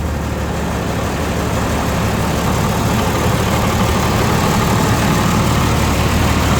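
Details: Old John Deere tractor with repainted hood, heard running from the outside: deep, steady diesel chug at an even pace, no knocking, missing or surges; healthy idle, ready to work.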